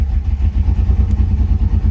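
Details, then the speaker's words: 1998 Camaro 3800 V6, owner says every bearing is spun despite good oil pressure, and it ran fine cold before: deep heavy thumping about eight times a second under the engine note, bottom-end knock from spun bearings. "She's hurt. Yeah, it has a cam. It has the, I spun every bearing inside the motor cam."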